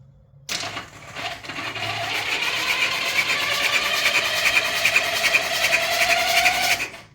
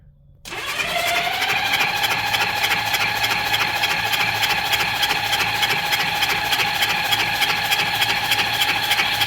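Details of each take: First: 1979 Honda Goldwing that sat about five years, cranked for the first time in about a year with the fuel not turned on: an even, steady six-second starter whir with no firing, the starter sounding good. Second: Honda Goldwing motorcycle, low mileage, sat 5 years: starter spins fast and steady, about three turns a second, never catches because fuel was off and carburettors still dry; cranking, no start.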